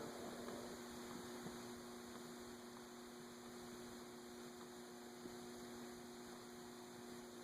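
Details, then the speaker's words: Antique Emerson 6-blade 30-inch Fernleaf/Longnose ceiling fan, stiff to start, on a solid-state variable speed control turned up to high: steady electrical hum and buzz with no blade movement. Owner suspects oil too thick or a tight nose cone; stalled motor hum. "I can hear it buzzing. Well, I've gone all the way up to high, and it's still not starting"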